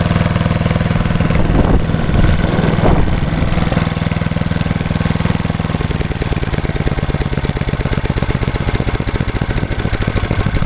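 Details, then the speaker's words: Start and idle of a small single-cylinder (1986 Lawnboy 8461 or 1998 MTD chipper/shredder) at season start-up, on choke at half throttle, oil checked, TruFuel; catches on the first pull, then settles into a fast, even putter with no misfires. Healthy. "Alright, so that's good to go."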